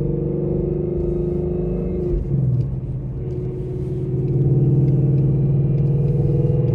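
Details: 800whp Ford Mustang GT with stage 3 built-gear transmission, driven from first gear: constant droning straight-cut gear whine rising slightly with speed, vibration felt through the transmission-mounted shifter; normal gear whine.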